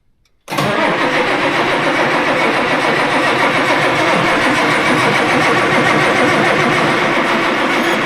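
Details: Tractor diesel with loader, cranking right after fitting a new turbo and injectors to cure high EGT from a failing injector: steady cranking at about four pulses a second that never catches. Long crank, no start because air is in the fuel system.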